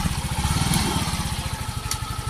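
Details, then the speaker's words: Yamaha FreeGo scooter that died completely after hitting a pothole (lost ground signal, broken wires, fuel pump replaced) now running; steady even putter with no misses, idling cleanly. "nah motornya udah hidup ya nih motornya udah hidup nah ini udah hidup"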